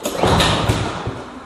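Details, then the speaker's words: Cub Cadet lawn mower that won't start, pull-start with a weak recoil spring; a few firing thumps on the pull, then it dies — engine kicks but fails to start. "See if we can get it to go here. It wants to. You can hear it kind of kick."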